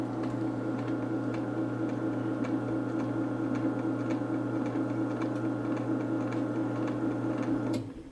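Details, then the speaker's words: Belt-drive garage door opener (Craftsman Silent Drive and Genie 1035 are both named) on a 4x3'6" Midland door in a basement: quiet steady motor hum, faint light rail ticking, smooth until an abrupt stop; normal operation, very quiet. "it's kind of a harsh stop since it doesn't slow down but this is the quietest opener by far that i've had up here"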